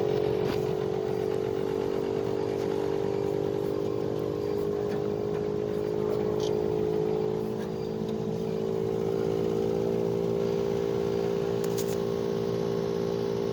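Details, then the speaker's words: Bosch Climate 5000 split air conditioner, about three years old, just switched on in heat mode: outdoor inverter unit builds a steady, loud droning hum; not the fan, compressor suspected of getting noisier, unconfirmed. "you know a bit of a noise building up now it's not the fan I I would say it's the compressor pump getting a bit noisier now"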